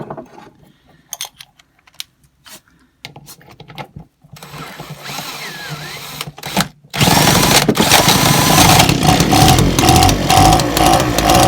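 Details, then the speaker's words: Old Echo two-stroke leaf blower, running on choke because the stop switch is not yet connected. Fires and holds a steady, fast buzz without stumbling; the carburettor is fine, though a new diaphragm and gasket are still planned. "i've got stuff on choke at the moment because the switch isn't connected i'm going to sort out now so it switches off so it's going to be worth me spending the money on that and you hear the carb is actually all right"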